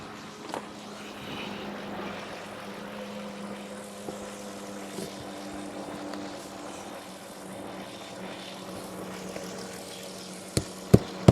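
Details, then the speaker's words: Chrysler Town & Country after installing a replacement alternator: steady even engine hum, no whine, grinding or squeal; quiet, not smoking, 14 volts, charging system healthy. "So there you go. There's your alternator on this type Chrysler Town and Country. It's quiet. It's not smoking, and we've got voltage."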